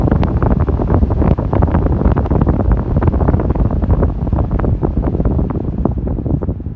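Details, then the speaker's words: Ford Expedition blower motor after replacing failed blower speed controller (resistor) with OEM Motorcraft part: steady rushing airflow, deep low rumble at full speed, no squeal or ticking; fan control restored, normal. "all right and it looks like we got full control lower again so if you're having this issue uh check out that resistor or that speed controller"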